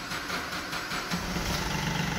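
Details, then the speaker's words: Chevrolet Beat diesel, 2012, repaired for cold-start problem (previously needed long cranking), no fault codes: engine catches quickly and settles into an even mid-pitched diesel idle without misses or extra knocking; starting now healthy. "मैं तुझे अच्छे से अब start हो रही है पहले बहुत ही ज्यादा लंबे सेल्फी लेती थी अ तो बिल्कुल लगा ली स्मूथ है"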